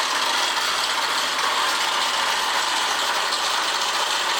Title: PGM-FI プレスカブ50 AA01-1708***エンジン異音有